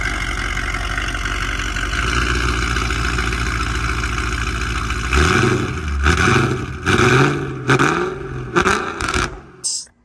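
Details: 2004 Mercedes E55 AMG supercharged V8 after full rebuild (new rods, pistons, rod bearings, head gaskets, all gaskets), fire-up: catches cleanly into strong even idle, crisp throttle blips settling smoothly, supercharger not audible; healthy.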